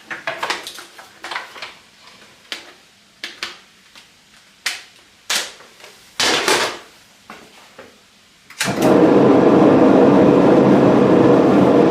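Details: Potter's wheel with Lotus wheel head, switched by a pneumatic air switch: handling knocks, then a loud, steady, coarse rumble as it spins up, indicating the worn wheel-head bearing at the top.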